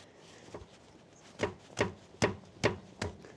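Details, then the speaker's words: Land Rover Discovery 3 2.7 TDV6 diesel, upper control arm bushing rocked by hand: sharp dull clunks, about five in two seconds; bushing worn out. "Upper control arm, rear mounting point. Front mounting point is here on the upper control arm, and this is the one that is usually failing because this is what takes the hit."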